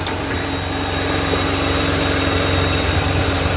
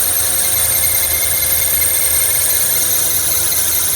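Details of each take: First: 2009 Toyota Highlander 3.5 V6 after replacing the drive belt and the noisy belt tensioner: steady, even idle with no chirp or squeal from the belt side; tensioner noise gone. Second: 2009 Toyota Kluger/Highlander 3.5 V6 at idle, before replacing the drive belt and tensioner. A constant high-pitched squeal comes from the noisy belt tensioner and stops briefly when sprayed. Serpentine belt tensioner squeal.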